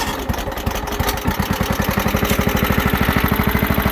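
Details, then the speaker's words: John Deere STX38 riding mower after engine reinstall, new carb and air filter: fast even chuffing idle about thirteen pulses a second, steady; starts well, slight smoke was only excess oil on exhaust from install, normal idle. "It starts up good. It did smoke a little bit, but I found out that was just excess oil from the exhaust when we were putting the motor in. It doesn't smoke out of the exhaust itself, so pretty solid little mower."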